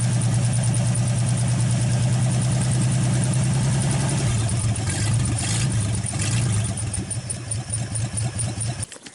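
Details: 1948 Nash engine after first start, carburetor rebuilt, water hose flushing cooling system, warming up; steady low pulsing note with open-exhaust bark, even firing, settling then shutting off, running smoothly.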